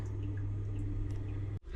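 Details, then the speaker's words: Boiler that had flooded; low steady hum with water dripping inside the casing and gurgling in the flue, condensate backing up because the condensate trap is blocked rock solid. "Right, it's definitely the condensate trap because that, can you hear it? Is rock solid, full of"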